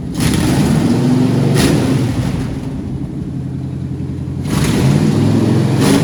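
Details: Old four-barrel-carbureted long-stored V8 running after pedal-pumped start: deep burble swells with throttle blips kicking in the four-barrel, dips back, rises again, smooth and even, no knocks; running strong.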